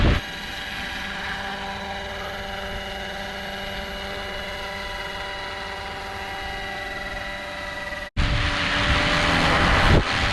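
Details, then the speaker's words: Roban Bell 407 RC helicopter in flight after re-gearing with new gears: steady, even rotor and motor hum with clean tones and no gear grind or rattle, much quieter than before. "I don't hear gear noise in that whatsoever oh my God that's so much quieter"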